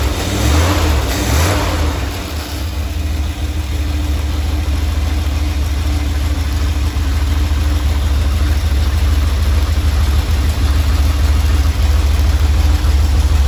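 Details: Either the 1977 Dodge Ramcharger 440 or the 1968 D-100 318 V8 fully warmed up, idling at 800 rpm with timing about 3° after top dead center (should likely be at or before TDC): a deep, even burble with no misses or knocks, a healthy idle.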